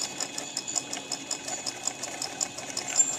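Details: DIY tool post grinder using a Black & Decker RTX rotary tool, grinding the chuck jaws of a 7x Chinese mini lathe: fast, even high-pitched ticking, about five or six a second, as the wheel lightly contacts the jaws.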